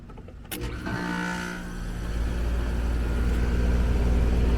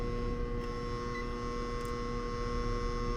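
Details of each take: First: Apartment AC condenser started after an HVAC tech corrected a maintenance worker's failed condenser fan motor install: brief start-up clatter, then a steady, even low hum with no rattles; running normally. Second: Apartment AC condenser with compressor and fan straining: heavy, steady mains-pitched hum with no healthy running note; single phasing, with 120 V on one supply leg and nothing on the other.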